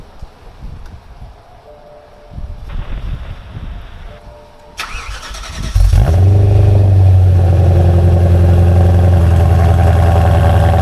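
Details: BMW M3 V8 after replacing faulty passenger-side pre-cat oxygen sensor (P2626 cold-start issue): brief crank, fires with a rev, settles to steady even low idle, no breaking up; normal idle after repair.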